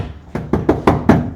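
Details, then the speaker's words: Toyota Hilux dual cab, base model with little insulation: knuckle taps on the bare, unstamped floor pan give hollow ringing booms, showing panel resonance; these areas need Stage 1 sound deadener first. "The sheet metal's got its own inherent strength that it's less likely to have panel resonance."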